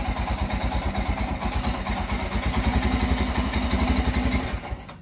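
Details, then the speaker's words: Royal Enfield Himalayan single-cylinder started in hot weather, choke lever held, idles weakly with a wavering beat then dies on its own; owner reports engine cutting out while riding, suspects fuel injector or battery issues; rough idle then stall. "आप देख रहे हैं आवाज इसकी बिल्कुल आहिस्ता से आवाज आ रही और य कटफ हो जाएगी पता नहीं क्या प्रॉब्लम"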